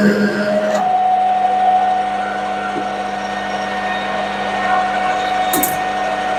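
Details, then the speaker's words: Lathe slowed from 1200 to 900 rpm with cutting fluid added, tool cutting a rivet dimple: steady hum with a faint ringing tone near 700 Hz and uneven rattle; tool chatter little changed. "well didn't make a lot of difference on the noise level or chatter"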